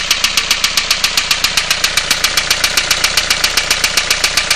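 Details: 2002 Renault Clio 1.5 dCi diesel with a sharp, even metallic knock at idle. Oil was found on 3 injectors and the glow plugs were oil-covered. The cause is unknown, and the owner plans to remove the cylinder head.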